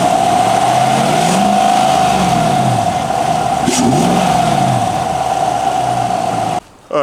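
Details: 2019-2026 Chevy Silverado just after installing a North American Performance cold air intake: steady idle with a couple of clean blips, strong intake rush on each rev, no misses; normal idle and revs.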